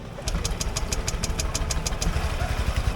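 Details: Nearly new motorcycle with CVT that stalled after riding through a flood, being cranked while water is expelled. Uneven, stumbling revs with a fast rattling tick as the engine clears swallowed water.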